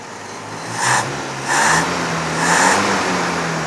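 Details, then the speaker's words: Series 3 Land Rover on a swapped-in original rebuilt Zenith carburettor: crisp throttle blips rising and settling cleanly to steady idle, no misfire or stumble; runs well, throttle linkage still poor. "the throttle linkage is still hot garbage but the carburetor wow i haven't touched this and it's almost perfect so it's nice that it runs really well now"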